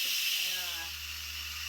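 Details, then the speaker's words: Instant Pot quick pressure release after steaming frozen vegetables, right after the beep: loud steady steam hiss with faint low hum, easing slightly, taking about two minutes until the metal valve drops; normal. "you just um release the pressure on it and wait till it releases takes about 2 minutes to release"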